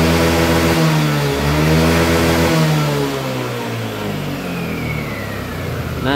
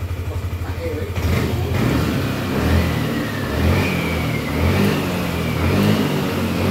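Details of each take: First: Yamaha Lexi 125 scooter after fixing the fuel injector that caused held-back power: engine revs smoothly up at full throttle and drops back without hesitation; throttle now free. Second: Yamaha Lexi 125 scooter with no fault codes, weak on hills: at full throttle the engine revs in slow, flat surges and feels held back, never spinning freely; caused by a clogged fuel injector.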